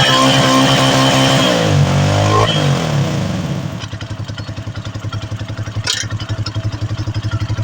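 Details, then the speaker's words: Bajaj Maxima Z three-wheeler single, repaired after lost compression and overheating (stuck valve, worn valve guide), reassembled and cleaned; revs hard then settles to a steady, quiet, even putter about four beats a second, no knock; normal idle after repair. "Umaandar na yung unit ni customer, no? So, goods na goods yung kanyang andar, no? So, tahimik na tahimik."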